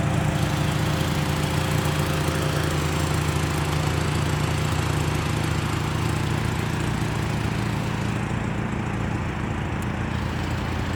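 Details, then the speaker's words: 1984 Toyota Camry DLX, under 100k miles, door open; a loud, blatty low drone with a raspy edge at idle, louder than it should be, caused by an exhaust leak. "It has an exhaust leak. It's not supposed to be that loud. So, my apologies. Probably should get that fixed."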